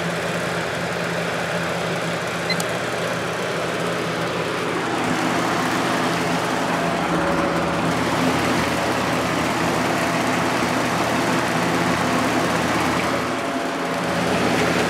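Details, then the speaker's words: 1983–84 Lasko box fan on high, with a plastic Marco motor that has many hours on it and a single-piece motor mount: a pronounced steady motor hum resonating through the frame over the airflow, no ticking. "this one has a very pronounced motor hum because I'm pretty sure it has a lot of hours on it"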